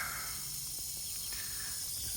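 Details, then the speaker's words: Crashed Jaguar F-Type, engine off, cooling system pressurised with a compressor during coolant refill: steady thin hiss as pressure bleeds out through the main radiator core, not a pipe, so the radiator needs replacing. "There's actually a leak, and it's in the worst place ever. This, you hear it? The main radiator is leaking."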